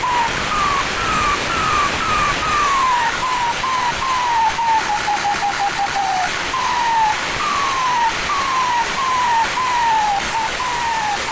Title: ทดสอบเทอร์โบหลังเปลี่ยนโข่งซิ่ง Sound show Pente na Turbina,cantando turbina,hissing sound in turbo.